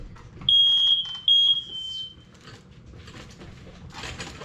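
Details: Kitchen smoke alarm downstairs on August system test: two loud, clean high-pitched beeps in quick succession, then quiet; alarm sounds properly.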